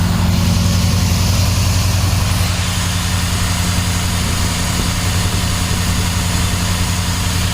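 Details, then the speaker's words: 2007 Dodge Ram 4.7 V8, stone cold start, code P0507 idle higher than expected; holds fast steady idle that never settles; vacuum leak. "Yeah, obviously. Obviously something's leaking if it's idling high."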